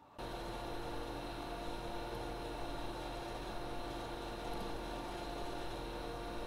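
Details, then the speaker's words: ARAID 3500 backup drive and server running after a cheap replacement of the backup drive's fan: a soft, steady fan whir with a faint hum and no rattle or whine. Ambient noise is noticeably reduced. "so the verdict for 9 bucks for 9 bucks we brought down the ambient noise quite noticeably here in the production studio"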